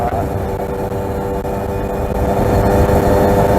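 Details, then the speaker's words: Kawasaki RR150 two-stroke, pilot jet changed from stock #45 to #22.5: thin, raspy, uneven note that never fills out, not dense or full as a rich mixture would be; lean running from too small a pilot jet. "Sebab kalau bunyi minyak lebih, dia akan bunyi padat tau. Dia akan bunyi penuh lah. Tapi sekarang ni dia tak macam tu lah. Dia gereng."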